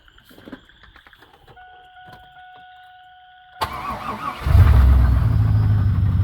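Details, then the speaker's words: 1999 Camaro Z28 V8, sat four years after a suspected torque converter and transmission problem: starts and settles into a deep idle with a steady knock about four beats a second; owner unsure if rod knock or lifter. "it does have a noise coming from the engine i can't tell if it's coming from the bottom end being a rod or a lifter something like that"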